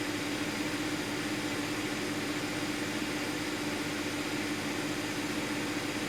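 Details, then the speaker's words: 2010 Audi Q5, about 135,000 miles, being checked for a P0302 misfire: even, steady idle with a low hum, no stumble; fuel trims good, no misfire data; normal idle. "fuel trims look good let me see if there's anything that has a misfire data i don't see anything"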